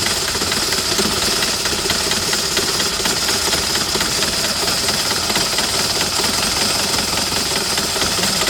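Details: 2008 Citroën Nemo diesel van, fuel filter primed, runs unevenly with harsh rattling clatter and no steady rhythm just after starting; blamed on excess fluid residue in the combustion chamber, expected normal once dry.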